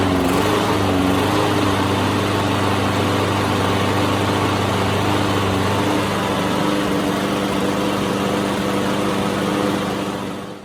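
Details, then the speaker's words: Exmark ECXKA21 push mower, Kawasaki single-cylinder engine, after carburetor cleaning with new gaskets including the valve cover gasket: steady even run with no surging or stalling; normal running. "right so here's my got it running the card rebuilt or cleaned I should say no gaskets uh everywhere"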